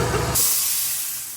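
A sharp hiss of air bursts in and then slowly fades away; the shop compressor is simply kicking on normally.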